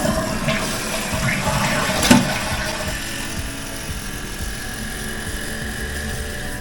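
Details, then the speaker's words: Toilet after replacing the fill tube to fix a hissing leak: brief rushing flush gush, then steady even refill with no hiss, normal operation. "We're just going to do one more flush and fill to make sure everything's the way we want it."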